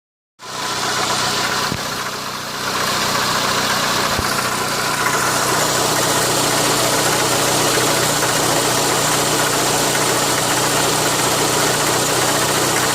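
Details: Renault Megane 2 at idle: steady light knock, roughly four per second, riding over the running noise; engine knock, source not pinned down.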